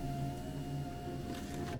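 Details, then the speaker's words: Land Rover Freelander 1 front door after fitting a replacement electric window motor and regulator on the originally broken door: smooth, even motor hum with a steady tone, then a clean stop, no strain; normal power window operation. "so i've just fitted this one on this other door which was the actual one that was broken and there you go he sounds a lot nicer"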